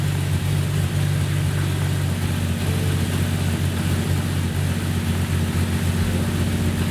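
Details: Jeep Cherokee XJ idling just after a new fuel rail was fitted to combat vapor lock and four-hole injectors were fitted: steady, even low rumble with no knocks or misses, running on all cylinders, though a miss is suspected elsewhere.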